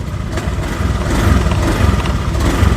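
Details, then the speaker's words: Honda Beat ESP fuel-injected scooter with a new complete fuel pump, stationary: it picks up smoothly on gentle blips and settles evenly. It jerks when ridden at "RPM 20–40", but idle and free revving sound normal. "terlihat seperti biasa-biasa saja."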